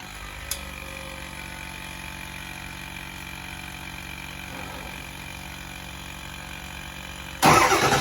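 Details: 7.3 diesel first start after EBPV delete and Wicked Wheel 2 turbo install, cranked first to build oil pressure: long steady idle with even low rumble and faint turbo hiss, loud burst at end; runs healthy.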